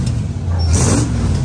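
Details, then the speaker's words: Chevy Mule (UTV) with 350 V8 after new plugs and wires and a fixed transmission fluid leak (new hose clamps): deep rumble swelling through a quick rev, smooth and steady with no misfire, sounding better with more power; idling a little high. Normal revving. "That sounds a lot better, fellas. I guess we'll just have to see. A little more power now."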